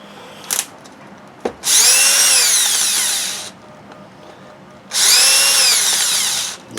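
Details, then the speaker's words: Used Makita BHP452 18V hammer drill, dirty and untested: two short trigger pulls with a harsh, gravelly whine that sags as it slows; the gearbox is rough from dirt and was later cleaned and rebuilt. "Pretty Dirty the drill that doesn't sound good shut down something going on"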